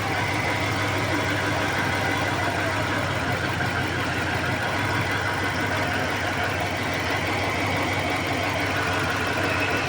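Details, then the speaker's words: Dodge engine at idle, connectors pulled one at a time: uneven pulses in the exhaust beat, noise traced to one side; engine misfiring on one bank, cause not confirmed. "क्योंकि अभी देखो engine पे missing भी कर रहा है लेकिन आया उस साइड से आवाज इधर से ही आवाज आ रही है।"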